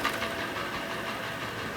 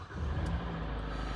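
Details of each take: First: Hyundai i40 G4NA petrol at 60,000 km in winter sub-zero temperatures, recently refilled with Shell oil: hollow uneven knocking; piston slap from scuffed pistons. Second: Hyundai i40 G4NA petrol engine at 60,000 km, repaired after knocking from winter scuffing, first start after rebuild: starts at once, oil pressure builds, smooth even low rumble with no extraneous knocks or ticks, running quietly.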